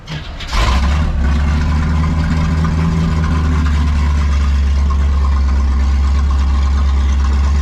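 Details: '57 Chevy V8 after fixing fuel starvation, where a cheap fuel pump was struggling to draw fuel: it cranks and catches within a second, then holds a steady, even idle with no misses. Running normally.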